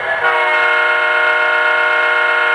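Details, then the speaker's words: O-scale 3-rail diesel model locomotive horn after loose debris was cleared from the speaker area: a full, steady, clean tone with none of the earlier cheap-speaker vibrating buzz. "Now it sounds full and complete, and there's no gosh darn vibrating noise. It sounds great."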